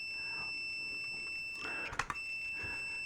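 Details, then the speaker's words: Continuity beep test on a multimeter at 50 ohms, meter reading 56: a steady high-pitched tone holds, then a few handling clicks; this meter reads about six ohms high and stops beeping at 70 ohms. "50 ohms. Still beeping. Reads it as 56 ohms."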